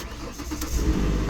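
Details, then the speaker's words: 2008 Ford Explorer that randomly dies and won't restart, started after sitting overnight: short crank, catches at once, idles up, then settles to a smooth, lower idle. This start is clean and healthy. "It just started right up. It starts, it idles up, goes back down to a lower idle, and it runs smooth."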